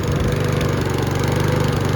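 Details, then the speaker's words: Mountfield V35 150cc push mower (HP414, 38cm cut), propped to keep running: fast, choppy running with sharp pops, hunting and surging, pointing to a fuel problem. Carb clean planned; cause not yet confirmed. "Now hunting and surgeon's coming into it as well."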